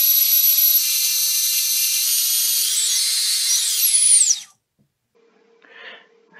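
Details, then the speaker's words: Three-inch quad on the bench, props off, motor one spun up from the motors tab via a smoke-stopper bulb: clean high whine climbs, holds and winds down smoothly without grinding or rattle; brushless motor bearings sound normal. "and then we're just gonna spin up motor one that sounds really good"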